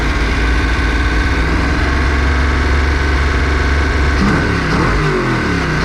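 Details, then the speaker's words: Ford 408 small-block Windsor stroker, first run after a nine-year build, somewhat warm, on break-in oil: steady, even, deep idle with clean rise on throttle, no knocks or ticks; sounds healthy, normal idle and revving. "sounds good running the car that's for sure"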